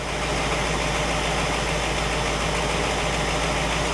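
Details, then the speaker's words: 1960 Pontiac Catalina 389 V8 idling on a Heathkit IO-20 ignition oscilloscope: smooth, even idle with steady low rumble, no misses, stumbles or knocks; good running engine, ignition spot on. "so we've got a good running good working tester and a good running engine"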